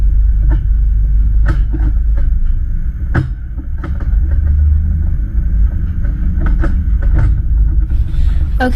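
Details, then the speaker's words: Rear-facing horse trailer on the road, heard from inside: steady low road rumble with a few light bumps and no rattling or banging; much quieter than the two other trailers. "so the problem with this trailer is that there's no noise which is good so it's actually not really a problem this trailer is the best trailer only because look it looks brand new and it sounds much quieter than the last two"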